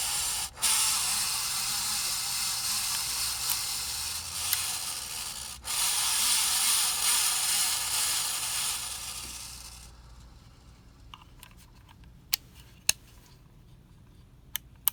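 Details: 53" Casablanca Spirit Of Saturn ceiling fan, recorded 2018: constant dry hissing rub while running, scattered ticks as it slows; bad bearings, later replaced.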